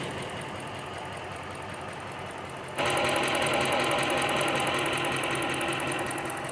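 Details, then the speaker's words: Rebuilt HEMI V8 Chrysler 300, about 133,000 miles, idling: shaking with a steady stumble about four times a second, dead-cylinder lope; removing that plug changes nothing; cause still unknown. "ine's running at the moment. It is shaking. It feels like a dead misfire. I'm pretty sure that's what it is."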